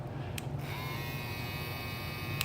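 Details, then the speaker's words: Clipper rated 6200–6800 rpm: soft, steady, even buzz with a faint high whine and no rattle or labouring; normal, healthy clipper running. "these things are fast these are 62 to 68 hundred revolutions per minute"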